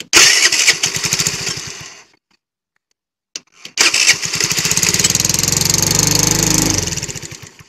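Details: Motorcycle engine that had lost compression from a tightened-in intake valve, after the valve clearance was reset and with the valve cover off. It cranks briefly, stalls, then catches and settles into a steady, even patter with light top-end ticking, running fine.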